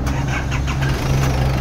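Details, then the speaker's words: Isuzu Trooper 4JX1 diesel, start after injectors and injection pump calibrated and injector O-rings and washers replaced (previously heavy misfire, low power, white smoke): catches quickly, firm even rumble, no shaking; repaired normal start. "Ayan, so kita naman natin ngayon at feel naman natin ngayon na wala nang nagtuya-tuya. Hindi katulad ng dati na sumayaw-sayaw yung makina."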